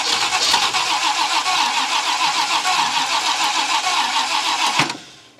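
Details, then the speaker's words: 1966 Ford Country Sedan after an engine overhaul, carburetor bowls filled with fuel: about five seconds of fast, even cranking with no catch at all. "damn it if you're following along we're 180 [Music] out"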